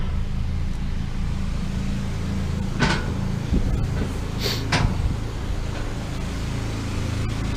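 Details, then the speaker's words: Two Honda EU2000 generators mounted in a truck bed box, switched onto load from a fifth-wheel 15K air conditioner. Low steady drone firms up as load comes on, with a few handling clunks; normal load ramp-up. "Okay, we've got power in here. Let's flip this on. You can hear the generators ramp"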